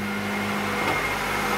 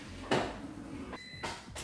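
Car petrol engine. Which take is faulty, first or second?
second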